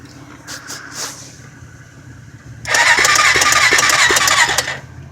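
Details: Honda 400EX ATV: brief quiet background, then about two seconds of rapid, even cranking chatter that stops without catching; turns over but won't start, cause unknown.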